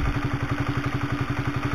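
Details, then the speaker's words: Honda CB150R after cam chain (timing chain) replaced with aftermarket DID chain, kick-started, mic close to engine: steady fast light clatter at idle remains but quieter than the old chain; top-end clatter persists. "masih kotok kotok ini masih sekelompok tapi masih mending daripada yang lama ya"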